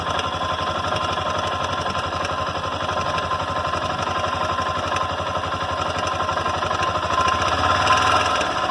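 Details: Honda NX Falcon 400i single-cylinder engine at idle with a fast, fairly even internal knock, about four a second, over the idle; cause unclear.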